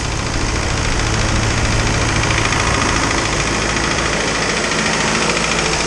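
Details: Isuzu 4BD2T turbo diesel at initial startup, warming up while waiting for the thermostat to open: even, steady idle clatter with no rise, misfire or odd knock; healthy engine.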